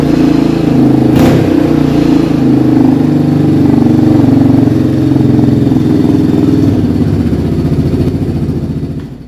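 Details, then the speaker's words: 1987 Yamaha Big Bear ATV on full choke, no battery; loud, raw exhaust with a tinny rattle on every rev because the spark arrestor has come loose inside the muffler, sounding like a shotgun on throttle. "it's completely rattling in there and it's loud i mean uh if you like something loud it sounds like a shotgun every time you hit the gas this is the bike for you"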